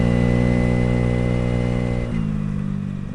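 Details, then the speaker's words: Honda NVS50 Today 50cc two-stroke scooter, now running sweet after fixing a faulty vacuum-operated fuel pump and CDI/ECU issues: clean, even buzz at steady revs dropping smoothly on closed throttle, no misses or rattles; normal running. "Uh, this little thing is obviously running really sweet now."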